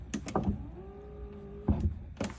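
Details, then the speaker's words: Hymer C404 motorhome electric entry step, button-operated: a clunk, about a second of steady, even motor whir at constant pitch, another clunk as it stops; step moves in and out smoothly. "so that's what that's for there the step comes in and out"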